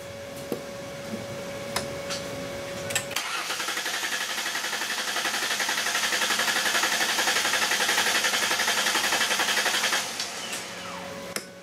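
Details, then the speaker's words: 2002 Ford Explorer Sport Trac 4.0L V6 with a cylinder 6 misfire and a bad bank 1 sensor 1 O2 sensor, cranking during a relative compression test. The starter whirrs at an even beat of about four per second with no uneven spots, so compression is normal and even. "really that don't sound too bad I didn't hear anything abnormal I don't hear a song or miss it out as even as it sounds"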